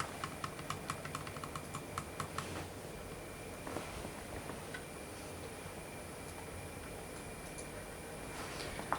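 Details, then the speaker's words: Hornby R3246TTS P2 'Cock O The North' model locomotive with TTS sound at slow speed: light ticking clicks about five a second then uneven faint rattles; very jerky slow runner, loco and tender rattle. "it's probably the worst slow speed Runner I've got it's just very very jerky as you can see and this isn't as slow as she can go but it just rattles and the tender rattles"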